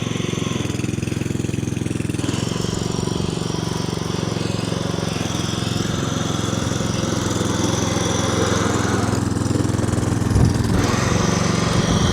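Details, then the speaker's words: Petrol lawn scarifier on a slightly wet lawn; a steady engine drone sags and dips briefly where the tines dig into the turf, so the operator stops, pulls back and tries again. "Now what's happening here, just because it's a little bit wet, the machine's just digging in a little bit in certain places. So we're just going nice and steady, and as soon as we hear it digging in, we just stop, pull back and try again."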